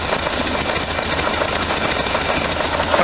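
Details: 1973 VW Super Beetle flat-four idling after exhaust gasket modifications: a sharp, rapid puffing tick in time with the exhaust pulses. A header/heater-box gasket is still leaking, apparently on the left side.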